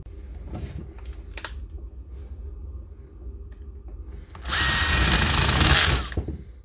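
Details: DeWalt D21570 240V core drill that had stopped because the brush leads burned away, after fitting new brushes: quiet handling, then about 1.5 s of strong, steady motor whine with no stutter or grinding. Repair successful, motor healthy.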